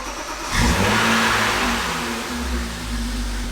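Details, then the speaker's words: BMW E36 first start after replacing the water pump, thermostat and thermostat housing, coolant refilled and air bleeding: it catches, flares, then settles to a steady idle with no water pump noise or leaks. Normal running. "So far so good. I don't hear any crazy noise from the water pump or anything. I don't see any leaks right now."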